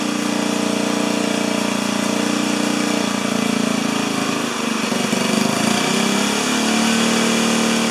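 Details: 4HP horizontal Briggs & Stratton single-cylinder: it runs fairly steady, then dips and stumbles midway before picking back up, speed not holding. Poor throttle response.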